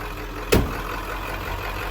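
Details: 1996 Ford F250 7.3 Powerstroke diesel, about 240,000 miles, first start after replacing grinding original starter (suspected bad Bendix) with a DB Electrical unit: quick start clunk, then steady even low idle rumble, no grinding.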